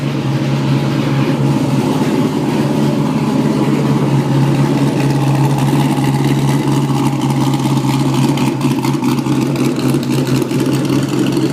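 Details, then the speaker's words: Porsche Boxster with LS3 V8 conversion, first test after removing mufflers and hex pipe system for straight pipes: loud, deep, even rumble, steady and unbroken; healthy open-pipe exhaust, sounds like a muscle car. "Now that sounds like a fucking muscle car."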